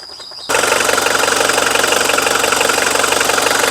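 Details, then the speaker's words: Mitsubishi Strada 2.5 diesel pickup, registered 1997 and converted to a 2005 front, with a dry engine bay and no leaks. It catches after a brief crank and settles into a steady, even idle clatter. There is no white smoke, and it drives long distances normally. "เสียงเครื่องเพาะนะครับรถไม่มีควันขาวนะครับผมขับทางไกลได้ปกตินะครับผม"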